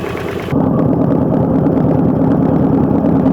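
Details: Kawasaki KVF 750 Brute Force V-twin at idle: a light, fairly quick tick of about three per second from the engine top end. The cause is not yet found.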